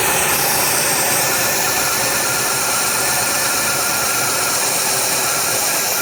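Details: 1990 Oldsmobile Cutlass Supreme running with a strong, constant airy hiss that stays steady throughout; vacuum leak.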